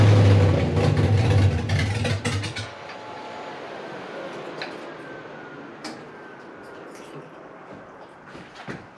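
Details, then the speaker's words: Freshly rebuilt 5.3 V8 in a 260Z at first start, 80 psi oil pressure: a lumpy, uneven beat with irregular pops for a couple of seconds, then it dies away and stalls; it won't idle, cause unknown, to be checked with HP Tuners. "Okay. I'm running about 80 pounds of oil pressure. That's a great thing. It won't idle."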